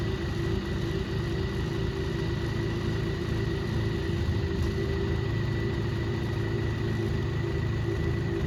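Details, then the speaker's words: 60-year-old Clark Michigan 55A loader, Perkins 354 diesel, after fitting a part with O-rings, shifting forward and reverse: deep steady rumble, even beat, no knocks or misses; healthy, leak fixed, dry. "Well, that's our first problem solved on this one. Dry as a bone under there."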